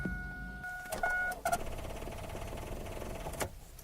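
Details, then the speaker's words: 1999 Chevy Blazer gives a fast, steady clicking chatter instead of cranking when the key turns: a weak battery that cannot spin the starter. "little clicking sound sometimes that can be your starter but in this case it is the battery 90% of the time when you hear that sound it is going to be your battery"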